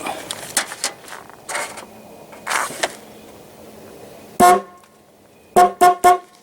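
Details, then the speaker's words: 1982 Camaro that sat unused for two decades, with a single horn wired directly to the battery to check its ground. One steady honk, then three quick clear toots at full strength. The horn itself works; a connection at the horn was in really bad shape. "I'm just going to directly hook that up to the battery to see if it's grounded properly and see if we get it to actually sound off"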